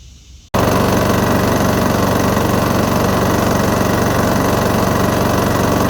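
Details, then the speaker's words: Briggs & Stratton lawn mower engine run 8 years on original oil with heavy sludge, during a second STP engine-cleaner flush: fast, steady running with light quick tapping about four times a second; valve train tapping, engine also smoking; cause not confirmed. "you can hear this thing tapping away so i mean it i think it's just shy i can't believe it still runs"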